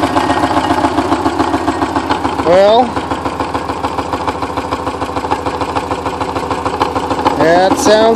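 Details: 944 started after ten years sitting, exhaust valves bent when the timing belt tensioner pulley fell off in 2005: hesitant cranking, then stumbling, coughing, lumpy running with no steady idle; rough running from bent exhaust valves.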